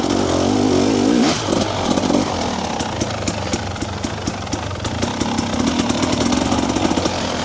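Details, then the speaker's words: TBI two-stroke dirt bike, stock ECU map, putters at low rpm with an uneven, blubbery burble and stutter; rich low-end fueling, later cured by remapping the ECU with a TSP ERM tuner. "you can hear that burble there that's what I'm trying to tune out hear that stutter"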